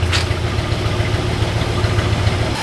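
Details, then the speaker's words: 1966 Chrysler V8 after engine reassembly, idling once the brake booster vacuum hose was plugged back in; steady even low rumble, no misses, stumbles or choking; normal idle. "it's running nice yeah it's really good back here D sounds good"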